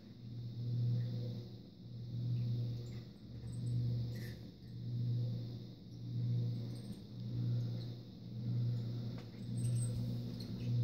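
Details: SMC Royal Flush ceiling fan about to be replaced: a low hum swells and fades in a slow regular beat, a bit under once a second. The fan motor is running roughly and sounds horrible.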